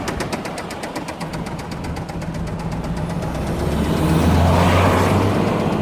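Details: 2004 Ford Transit Connect 1.8 diesel at 132,000 miles, hard to start, possible white smoke: sharp regular knock about four times a second over a steady idle, louder toward the end; heavy internal knock, possibly needing head replacement, unconfirmed.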